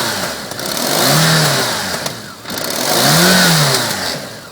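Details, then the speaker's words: 1994 BMW K1100 LT motorcycle with new plugs and replaced HT leads: engine rises and falls unevenly with lumpy irregular beat, runs rough, struggles pulling away under load; misfire, cause unknown (ignition or fuel suspected). "replaced was cuz it is running a little bit on the ra side and I'm not sure what it is um that's just started out under load it does have a bit of a problem actually pulling away"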